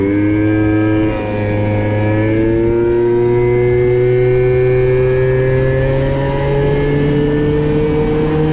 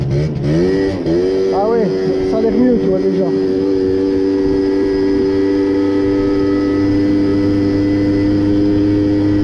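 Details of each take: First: Mobylette/MBK moped two-stroke engine after the carburettor was leaned out, top speed raised from 30 to 70 km/h: loud buzz with a clean tone climbing smoothly as revs build, pulling evenly with no misfire or stumble. Normal running. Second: Two-stroke moped or scooter being carburetor-tuned revs up and then holds a steady, somewhat dull buzz that won't climb freely; the mixture is too rich, reportedly from an inverted or altered air filter setup, costing power.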